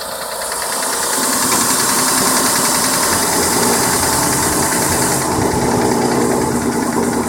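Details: Verada engine running with an uneven, rattly knocking over a fairly steady note, about three knocks a second; engine knock, cause not identified.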